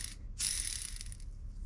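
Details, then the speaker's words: Polaris RZR XP1000 transmission bearing, dry, rolled by hand during teardown; short gritty crunch, rough and dragging instead of smooth and quiet; worn transmission bearing. "that's not what you want the bearing to sound like now given it is dry but if you look in here there is some interesting stuff going on oh this one's crunchy feeling here"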